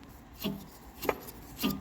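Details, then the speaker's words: Three short dry rasping scrapes as the turbo shaft from a 24-valve Cummins is flicked round by hand during teardown; bearing sounds super dry, turbo suspected bad, not confirmed. "hear that that bearing sounds super dry"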